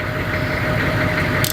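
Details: Diesel bus on first start before driving to the mechanic. Steady diesel idle with an even low rumble, no knocks or surging, and the coolant light is off.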